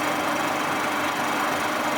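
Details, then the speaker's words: Boring mill with new tooling, taking a fairly light facing cut: steady, even hiss with no clunks or knocks. Normal facing cut, running smoothly. "as you can see it's just fling up the surface it's doing a very nice job as well"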